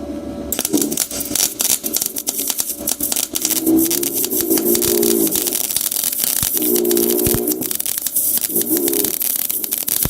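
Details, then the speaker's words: HITBOX MIG200II MIG welder with inductance switched from negative to positive: irregular sharp crackling and popping arc, several pops a second, spatter from positive inductance. "Pewnie już słyszeliście różnicę po dźwięku, czyli trzeszczy, strzela"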